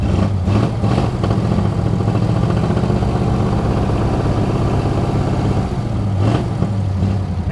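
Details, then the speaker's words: 1937 Ford flathead that sat a year, very loud, restarted to drive to the upper garage: low, uneven drone with a lumpy, stumbling beat that never settles, rough running, probably misfiring. "this thing's not running good at all but is it good enough to get us where we're going maybe"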